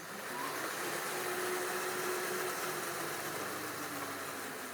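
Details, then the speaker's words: Honda Pridor converted to petrol-electric hybrid, running on battery through a 1500W rear hub motor under throttle: steady motor whine with a light chain whirr; the slight noise is the front sprocket, which still needs adjusting. "अब यह जो आवाज जो थोड़ी बहुत आ रही है ना यह इसकी फ्रंट स्प्रॉकेट की आवाज आ रही है। इसकी सेटिंग हमने करनी है।"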